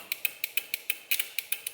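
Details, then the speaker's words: Bench test of a mechanical relay triggered by a Holley Terminator X trans-brake wire, pin 30 on 12 V, grounded: crisp, evenly spaced clicks about six or seven per second. Normal relay operation; the solid-state relay beside it makes no click. "and now you can hear the relay clicking so that relay is clicking this one's not clicking this is a solid state relay"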